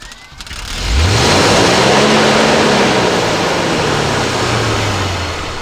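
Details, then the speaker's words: 1968 Ford F600 truck with rebuilt carburetor, first start of the year: engine catches, pitch swells then sags over a few seconds and dies; throttle cable was set wrong. "Alright, so I did not have the throttle cable set right, so I got that set right, and now I'm going to start it one more time"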